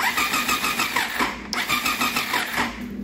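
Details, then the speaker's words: 1999 Triumph Daytona 955i parked for years, low battery: uneven cranking with scattered irregular firing pops that never catch; intermittent spark, owner suspects the crank sensor needs repositioning to a spec thought to be 1 mm, or corrosion. "so I'm wondering if our crank sensor needs repositioned cuz it's like kind of is firing"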